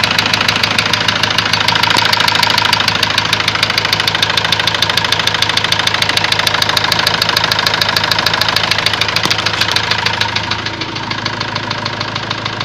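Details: Ford Transit diesel at idle: a sharp, regular knock about 200 per minute, even throughout. Afterwards a warning light lit, revs stopped building, and codes showed high-pressure calibration data, cylinder balance and a leaking injector. Source not confirmed.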